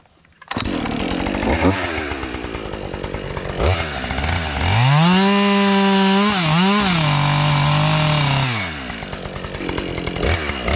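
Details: Husqvarna 550XP chainsaw after sitting 6 months, cutting a fallen box elder limb. It idles, then revs to a clean high howl that bogs slightly and holds steady through the cut; normal cutting.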